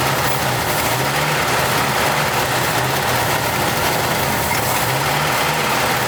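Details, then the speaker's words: 1989 Jeep Wrangler YJ 4x4, manual, revived after 12–13 years sitting, throttle untouched: lumpy, shaking, stumbling idle with no steady beat, seemingly running on half its cylinders; two spark plugs later found cracked through. "So, yesterday I was speculating with my brother that it sounded like it was running on two cylinders. Turns out probably the case. These two were cracked all the way through."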